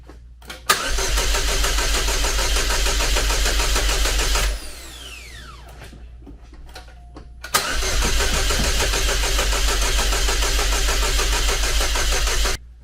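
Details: Chevrolet Cobalt SS (LSJ supercharged, just reassembled) cranks steadily about four seconds, pauses, cranks long again but never catches; owner suspects weak battery/jumper pack after it just ran on a jump.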